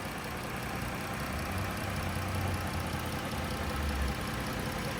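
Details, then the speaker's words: 2013 Chrysler Town and Country Touring L, 3.6 L V6 with 5-speed automatic, recorded in engine compartment: steady, even low hum with no knocks, ticks or surges; normal smooth idle, no odd noises or vibrations. "as you guys can tell nice and smooth running engine no odd noises or vibrations"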